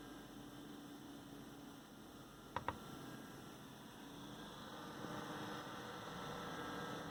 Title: amd stock fan / wraith spire loud noise 2